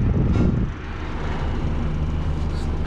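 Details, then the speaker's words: PTAC packaged terminal air conditioner on cooling, after being screwed down to cure vibration, fan switched from low to high speed: steady even whoosh and rumble of airflow, no rattles or scraping; normal fan operation on high speed. "let's test the fan speeds low speed okay put it to high speed okay definitely switched"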